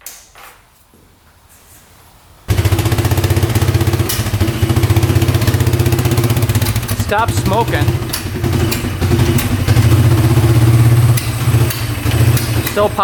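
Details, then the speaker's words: 1997 Polaris Magnum 425 6x6 ATV: fires into lumpy deep idle with occasional sharp pops back through the carb; owner guesses unprimed fuel pump running it lean; it later ran perfectly. "sounds pretty good otherwise engine sounds really smooth it's just uh that backfire I don't like through the carb"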